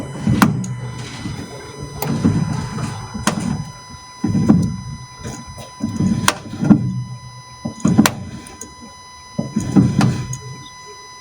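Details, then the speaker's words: Fiat, car practically stopped: dull clunks with sharp clicks every second or two while turning the steering wheel, front suspension noise from worn, binding strut top mount bearing. "so the customer says he is turning the steering wheel with the car practically stopped you can hear a clunky noise"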